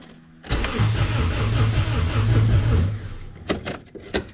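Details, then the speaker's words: AWD Honda B-series hatch, OEM ECU with no distributor, cranked on a jumper with the battery long unused: starter spins the engine at a strong, even pace, about three compression beats a second, with no dragging or clicking; normal cranking. "all right oh that sounds solid that's a good crank"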